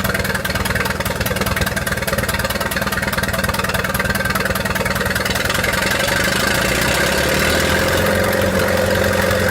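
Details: 1928 Farmall Regular four-cylinder tractor engine idling after carburetor tweaking, spark advanced about halfway: a steady, even pop at about three beats a second with no misses or stumbles. Healthy normal idle.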